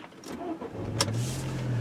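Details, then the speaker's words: 2005 VW Passat start before a test drive: short crank, then it catches quickly and settles into a steady, even low hum with no stumble; starts right up, normal start. ABS light already on. "Alright, no problem there, starts right up."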